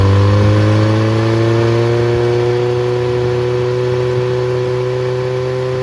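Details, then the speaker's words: Freshly rebuilt Triumph Spitfire 1300 (1296cc) from a '72 Spitfire on test run, revving up: new pistons, bearings, 270 cam, shaved head ~8.5:1, compression 137-140, good oil pressure: steady smooth hum climbing gently, no knocks or rattles. "it runs well has good oil pressure compression was 1 35 to 140 across all the cylinders"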